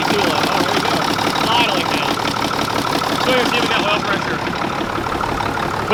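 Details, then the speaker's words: Mack truck diesel running after clearing bad fuel: uneven, lumpy idle with a stumble each cycle; injection pump feeds every cylinder except number six, so the pump must be rebuilt; oil pressure 55–60 psi. "all the fuel's coming out all this all on the injection pump all them but number six so it's going to have to be rebuilt no matter what"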